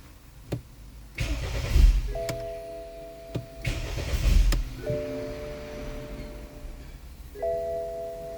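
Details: 2013 BMW 528i xDrive F10 with N20 engine, crank no-start: two brisk one-second cranking bursts with warning chimes between, never catching; spark and injectors are confirmed OK and a timing issue is suspected.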